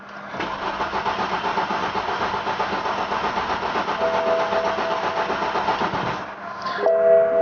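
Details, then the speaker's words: BMW F10 528i with the fuel pump fuses out, cranked to bleed high-pressure fuel before replacing the high-pressure pump (cylinder injection shutdown, P142E low pressure). The starter turns steadily about four turns a second for six seconds and never catches: crank, no start, no fuel pressure. "crank the car over until it no longer starts and just cranks so it's gonna sound like this"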